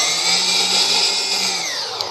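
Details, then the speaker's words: ArduFlyer/ArduPilot-controlled quadcopter in manual mode, motors armed and throttle raised: motors spin up to a smooth, high, steady whine that sweeps slightly with throttle; normal motor spin-up. "it is now armed as you can see and as soon as I move the throttle up"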